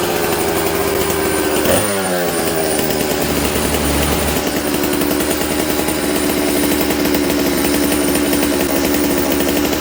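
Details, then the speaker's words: Dolmar 153 chainsaw with a previously faulty Bosch ignition, low jet about 1¾ turns out and idle screw not touching: revs jump, then hang high and buzzy instead of settling; the owner identifies this as an air leak and knows where it is leaking. "So when you listen to this thing, this is what an air leak sounds like. I know where it's leaking."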